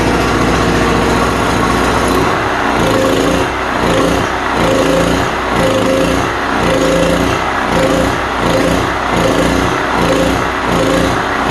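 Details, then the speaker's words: Cheap import generator's small single-cylinder engine runs rough and surging only on choke; owner suspects a plugged carburetor and will remove and clean it. "Gotta choke it down a little bit to make it run. It must be plugged up in there somewhere."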